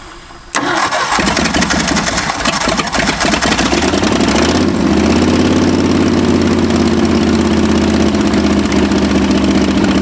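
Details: Abandoned Ford F-250 V8 with new spark plugs: long cranking, then catches to a lumpy uneven idle; ignition timing still way off and carburetor not set.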